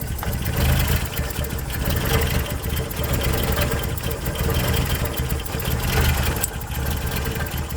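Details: 1990 Toyota pickup/Hilux, 22RE engine, freshly rebuilt and warmed up: uneven idle with a lumpy, stumbling, hunting beat that then dies; rough idle, owner suspects a temperature sensor sending a bad reading, unconfirmed.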